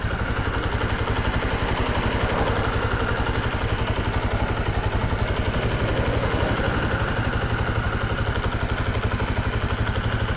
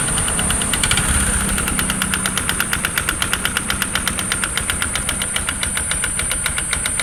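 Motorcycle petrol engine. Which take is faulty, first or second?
second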